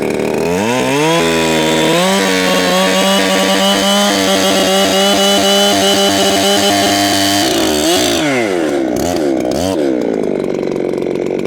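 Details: Ported Echo CS7310P chainsaw, newly tuned and still breaking in, 20-inch Sugihara bar and chain, cutting hard maple: high steady two-stroke scream barely sagging in the cut, still four-stroking slightly; healthy saw.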